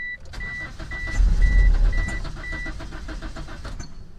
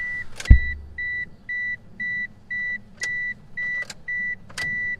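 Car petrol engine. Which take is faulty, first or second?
first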